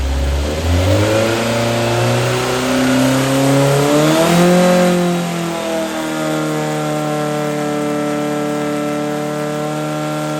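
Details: Brand-new Powerhaus VW 2110cc air-cooled turnkey engine for a 1966 21-window bus, upgraded head, dual 44 carbs, on dyno under load after valve adjustment; strong even exhaust climbing smoothly through revs to steady high run, no ticking or knock; normal running under load.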